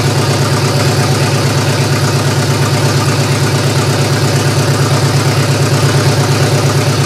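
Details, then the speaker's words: GM 3100 V6 in a Camry, after firing-order check: idle pulses with a slightly uneven lumpy beat about twice a second; improved but still rough, owner suspects nearly two-year-old fuel. "well I've got it running better it still doesn't sound that right to me I know there's a couple issues still with this one being that gas is almost two years old"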